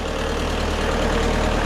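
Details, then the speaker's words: Stump grinder engine idling just after motor installation; pump-to-plug wiring is broken and temporarily rigged; blade won't swing, owner suspects safety switch. Steady low rumble with no misses or knocks; engine itself runs normally. "So when I crank it, she runs great."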